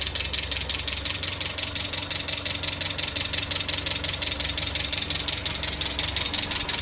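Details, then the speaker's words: Land Rover Series 3 first start after head gasket replacement, first run in months, rough start then steady idle with sharp even tick; owner unsure of clatter source, wonders valve clatter or low oil; timing checked as correct. "That sounds pretty good. Bit clattery. Where's that clatter coming from? What's that, valve clatter? Not enough oil?"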